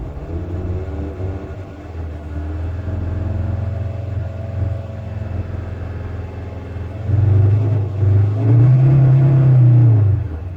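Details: VW T5 2.5 AXD diesel van: lumpy uneven idle that stumbles when revved, rough idle and cutting out when warm, fine when cold; misfire from internally failing crankshaft position sensor, fixed with a new genuine part.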